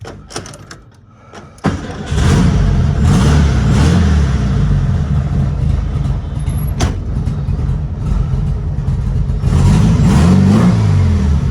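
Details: 1972 VW Super Beetle with a recent weak battery (trickle charged, needed jumps), restarted with the pedal pumped: weak cranking, then it catches and settles into a steady, even low rumble that keeps running; a normal start.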